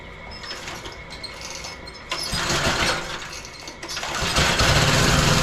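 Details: Roadside-found lawn mower engine for the Tommy Gun mini bike (carburetor may need replacing): sputters, then steady fast popping run with no dying or surging; running healthy.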